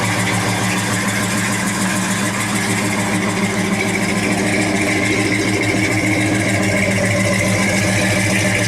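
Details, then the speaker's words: 1963 Chevy 1-ton flatbed truck idling; deep, even V8 lope with steady low rumble, no knocks or misses. Good running truck that needs a tune-up. "but it runs. It's a good running truck. Needs a good tune-up, but he's idling now."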